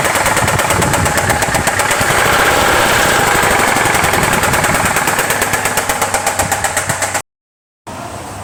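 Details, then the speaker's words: Hyundai car engine at idle: heavy steady metallic knocking about three per second; teardown found the number two connecting rod bearing worn out; rod knock. "তো সমস্যা এটাই ছিল এর জন্য আমাদের গাড়ি start করলে প্রচন্ড সাউন্ড"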